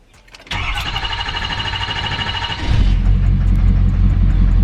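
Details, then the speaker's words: Diesel truck accidentally filled with gasoline, first start after fuel filters refilled with good diesel and system primed by key, intake off: a couple of seconds cranking, then catches cleanly into a steady, even idle; normal start. "oh my god I think it might be good that's a relief gosh you don't know how happy I am right now"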